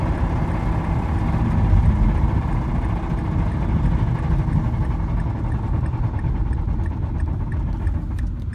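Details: Mazda engine dying of rod knock, part 1, the moment of death: rough, heavy engine rumble with faint regular knocking breaking through.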